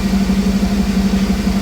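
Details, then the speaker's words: Engine idling in a cold shop just after installing an Aces EFI Jackpot kit to replace a MicroSquirt ECU, with no further tuning; it previously pinged. Steady, even low rumble and constant drone with no pinging or rattle; smooth normal idle. "doesn't like before you hit it and it all shakes now it's really smooth so I think it'll be better"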